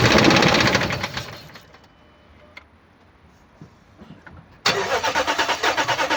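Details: 2007 Dodge Ram 1500, 4.7 L petrol V8 (EVC, 238 PS), 290,000 km: cranks, catches, then idles with an uneven, lumpy pulse about three times a second; misfire from no compression in cylinder 1.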